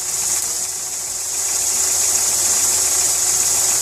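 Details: VW Polo 6N2 with starter motor trouble (the starter had to be tapped with a hammer) and the airbag light on. A light, fast ticking at about three per second rides over a hissy idle; the source is unknown.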